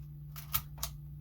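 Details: Canon AE-1 after a shutter squeak fix using a tiny amount of lubricant: two crisp, snappy clicks about a quarter second apart as the mirror flips and the shutter fires briskly. Shutter speed is now normal.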